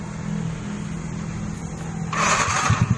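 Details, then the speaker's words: Motorcycle whose starter kept cranking with the key off; the starter relay is suspected wet and shorted inside. With a new Unita relay and the battery connected: low hum, brief starter whir, then even firing. Starts normally and no longer self-starts. "Kembali normal bro. Mantap guys, mantap. Dan nggak starter sendiri lagi seperti tadi."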